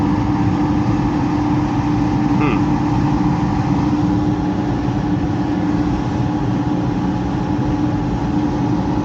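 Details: Heat pump blower with electric heat, reported for loud noises: heavy constant rumble under a steady hum. The fan wheel is badly damaged and cannot be removed without tearing the whole unit apart. Damaged blower fan wheel.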